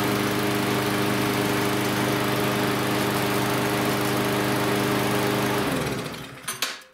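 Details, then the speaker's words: Small single-cylinder engine on a cheap, little-used lawnmower that ran last fall but wouldn't start after storage; after bending the governor tab it holds a steady, even buzz at higher revs (should stay under 3200 rpm), then shuts down. Normal running. "so I'll start it again here and it should be revving higher since I bent the tablet"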